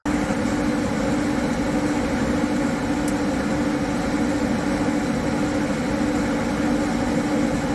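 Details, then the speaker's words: High-mileage Harley-Davidson M8 V-twin with S&S 129 Power Plus kit, big injectors and kit cam, running under load on dyno after tuning: steady, even mid-pitch drone, no knocks or misses; makes 136 hp, 154 ft-lb, all mid-torque. "136 horsepower, 154 foot-pound of torque. This thing is just insane. All mid-torque."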